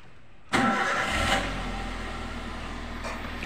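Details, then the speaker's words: Toyota Avanza after repairing wiring that blew fuses for the indicators, AC and power windows; the engine had no fault: quick crank, catches cleanly and settles into a smooth, steady idle; healthy start. "ini untuk mesinnya sudah hidup memang karena memang kemarin mesinnya juga tidak bermasalah"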